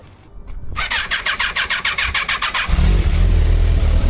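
Starter churns about a dozen even cranks, then the engine catches into a strong steady rev, crisp and clean, a healthy start.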